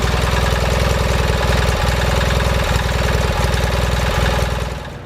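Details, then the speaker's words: 4WD Gravely tractor started with a fresh battery after sitting since April, before rear transmission planetary repair: cranks right over and settles to steady, even firing with no misses or knocks; normal start and run. "I just went up back to fire it up and threw a battery in it and it cranked right over without an issue"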